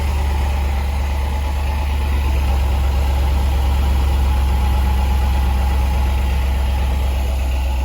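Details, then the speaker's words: Range Rover Sport L320 with only normal height available (code C1A20-64), after the Dunlop air suspension compressor cover was replaced: steady engine idle with an even, quiet compressor hum, no rattles or knocks; the compressor is healthy. "Okay, just start the car to make sure the compressor is running smoothly and nothing is rattling. And I can hear how it's working, but it's nice and quiet."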